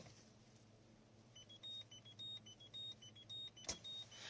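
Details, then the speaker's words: Peugeot 206CC while driving, after the roof stuck halfway and was pushed back manually: a two-tone electronic chime repeating about twice a second, the roof warning because a latch sensor sits out of position. "and after that when I when I was driving this really annoying beeping sound just came up all the time"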